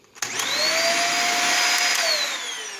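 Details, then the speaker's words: Dyson DC50 vacuum (6.5 amp motor), unclogged, running: motor spins up to a steady, fairly high-pitched even whine, higher than the DC07, which is its natural normal sound, not a clog. "You can hear it's a higher pitch, a little bit of a higher pitch, but that's normal, so it's not clogged or anything at all. That's just naturally how it sounds."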